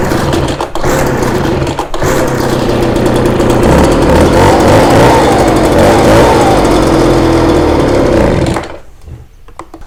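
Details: Ryobi BR42 two-stroke backpack blower, sat one to two years, fuel lines mixed up so it ran out of fuel. Rough, uneven buzz holds about eight seconds, then sags and cuts out. Engine dying from fuel starvation.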